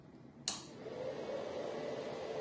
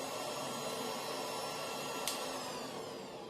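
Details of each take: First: Replacement 1800 W power supply for a Goldshell X5 ASIC miner, with two bigger slower fans, plugged in without the miner running: click, then soft steady low fan hum without high-pitched whine; normal, quiet fan noise. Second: Goldshell X5 scrypt ASIC miner's 1800 W power supply with a small fan spinning very fast: quiet but piercing steady high-pitched whine over a soft airy hiss; high-pitched power supply fan whine.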